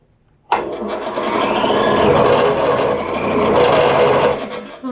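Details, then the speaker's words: Campbell Hausfeld 20-gallon compressor, about 40 years old: motor kicks on with a strained, wavering hum and rising whine that never settles; left running it eventually trips the breaker. Oil fine, turns over by hand, cord good; cause not yet found. "I let it run it will eventually pop the circuit breaker"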